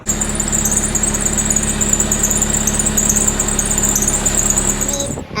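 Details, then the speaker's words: 2001 Honda Civic sedan running: constant piercing high squeal from the serpentine belt slipping because the alternator is missing a mounting bolt. "oh look at that that's the whole other hose but there's no bolt in it and I'm 100% sure that's why this thing is squealing"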